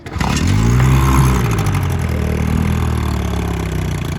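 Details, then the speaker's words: Johnson/Evinrude 7.5hp outboard, built about 10 years ago from junk parts, now fitted with an aftermarket transfer port cover fuel pump, cowling on, in neutral: starts and settles into a smooth, even idle, no knocks or misses; runs as well as before. "So it runs just as good as it did before."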